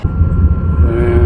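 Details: Dometic furnace in a Keystone Cougar RV, heard at the outside exhaust vent after reinstall: steady low rumble with faint even hum, no popping or sputtering; exhaust venting normally.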